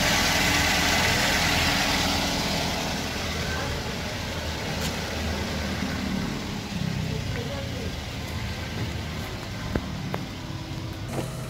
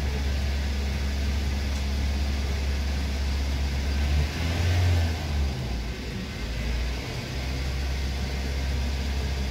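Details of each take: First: 2009 Toyota Yaris whose oil warning light flickered at speed, after oil flush and oil change: even, steady idle with no misses or knocks under background hiss; engine sounds smooth and healthy. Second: 2009 Toyota Yaris whose oil warning light flickers when driven hard, heard from inside the car at a steady 2000 rpm before the oil change and flush: a coarse, uneven, roaring drone with no clean note, so the engine runs rough.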